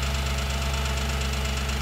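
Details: Audi B7 S4 V8 at steady idle, checked with a stethoscope: sharp, even, fast valvetrain ticking, loudest at the rear of bank 1 near the cam adjusters and cylinder 4 valve train; exact source not yet found.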